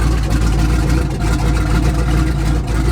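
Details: Twin-turbo Malibu, first start after tapping the intake air temp sensor and the head steam port, on a conservative timing map: deep, even idle with a steady low rumble, no hunting or surging; idling where it should.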